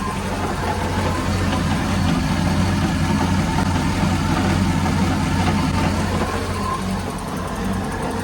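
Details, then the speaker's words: 2006 Mercruiser 6.2 V8 boat engine, first start after new exhaust manifolds, risers and elbows and coolant flush: steady, even idle with smooth low rumble, no exhaust leaks heard; normal idle. "all right we are running sounds pretty good I don't hear any exhaust leaks which is good"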